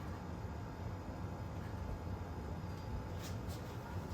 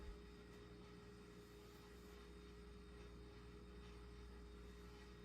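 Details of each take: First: Restored Snoopy ceiling fan running after completion: quiet, even low hum with no ticking, rubbing or wobble; normal, balanced running. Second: Restored Snoopy ceiling fan running on low speed with large (about 52 in) blades sitting too low: steady low drone near 400 Hz with a hollow rumble, airplane-like and rough; cause not yet clear.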